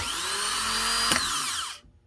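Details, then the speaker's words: Honda Fit starter (31200-RB1-013) bench-tested with 12 V after bendix bushing replacement for cold-start screech: clean high whine, single clack as solenoid throws bendix, smooth spin-down; normal starter operation. "The solenoid should engage, spin the starter, and jump the bendix out at the same time. Just like that. That sounds pretty good to me."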